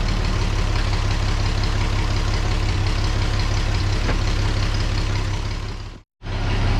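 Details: The Rockabilly Rat, an old engine, chugs deep, steady and low at idle after getting spark to the plug and adjusting timing, firing fairly evenly with no knocks; running fine.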